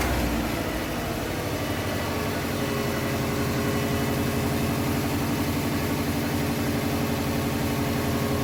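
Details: 2005 Subaru WRX wagon, just under 200k miles, first cold start after an HKS flat-flange downpipe install with a Stage 2 91 map: a smooth, even idle with a steady low beat and no ticking or exhaust puffing; no leaks so far.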